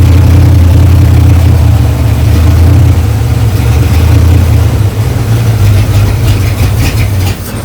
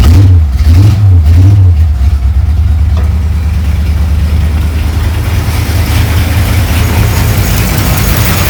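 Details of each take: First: 1935 Ford 3-window hot rod, 327 V8 with six 2-barrel carbs and a 4-speed, fired up after a few years in storage, before the linkage fix: a loud, deep engine holds high revs and sags slowly instead of returning to idle, because the throttle linkages weren't returning. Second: 1935 Ford 3-window hot rod with a 327 V8, six 2-barrel carbs and a 4-speed, after the loose throttle-shaft linkage keys were thread-locked so all carbs trigger together: it answers three quick blips cleanly, then settles to a steady, even idle.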